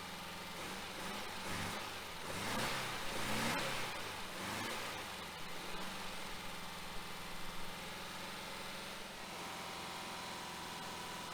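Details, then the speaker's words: 1966 Volkswagen Type 3 Fastback with freshly rebuilt, larger engine during cam break-in after install; revs through a few blips then settles to steady even run, no knocks or misses; carbs still need tuning; normal running. "huh definitely sounds better sounds good does sound good sounds good definitely got a little bit of tuning left on the carbs"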